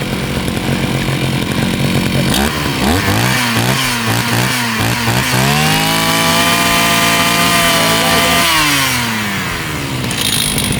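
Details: Used Husqvarna 541RS brushcutter (made in China, 2019), run only one tank of fuel; climbs smoothly from idle to a steady, clean high-rev howl, holds evenly, then drops back; healthy, no misfire or rattle.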